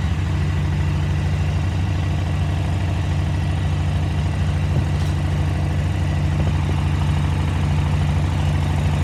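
Steady, even low V-twin idle with a smooth, regular beat and no misses or hunting, so the carbs sound balanced.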